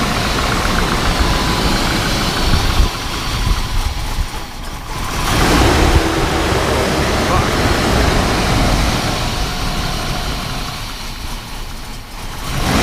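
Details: 1998 GMC Sierra 4x4, 5.0 305 Vortec V8, first start after new spider injector, plugs and wires and oil cooler delete: idle sits high and surges up and down instead of settling; owner wonders if the new spider injector is the cause.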